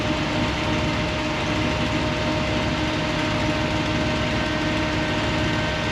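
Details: 1963 Dodge Sweptline Crew Cab engine just after cam break-in: steady, even drone held at a raised speed with no knocks or ticks; sounds like a decent, healthy motor.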